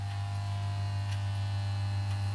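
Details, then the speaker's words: Valve amplifier project (PY G73 build) being mocked up on its power supply: a loud, steady low hum at constant pitch persists; suspected cause is a field coil connected the wrong way around, not confirmed. "It's still humming, but this isn't too happy. Why are you doing that? Is it because field's the wrong way around?"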